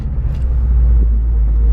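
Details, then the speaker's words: 2018+ Subaru WRX STI test drive after brake pad replacement, done to cure a squeak of a couple of weeks: only steady low road rumble while slowing, no squeal or scraping; brakes now quiet. "I don't hear it at all nice way to end president our tests"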